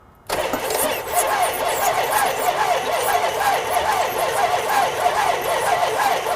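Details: Junkyard Plymouth Cuda V8 at the seller's lot, cranked to see if it runs: the engine turns over, catches, and settles into a loud, steady rumble without stumbling, so it starts and keeps running.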